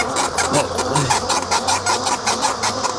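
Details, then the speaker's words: Ridstar Q20 e-bike ridden on city pavement, 240 lb rider: chirpy squeak repeating a little under twice a second with wheel rotation over road noise; source unknown. "So, I don't know if you hear that squeaking too much. That squeaking drives me insane, man. That's the only downside to this is"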